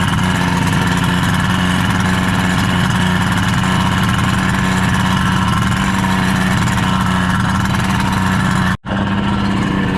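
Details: Rebuilt 1976 Mercury 650XS race outboard, first test run after sitting 20 years, on a 13ft Delta T850 race boat; steady, even buzzing idle with constant low pitch, no misses or knocks, starting great: normal idle.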